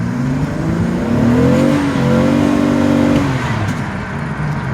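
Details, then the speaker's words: 2006 Pontiac Grand Prix automatic, driving: engine note climbs and sags without matching pull, revs flaring between shifts; transmission slipping badly. "yeah trans is slipping hardcore doesn't drive nice gto bud yeah i'm trans just slipping"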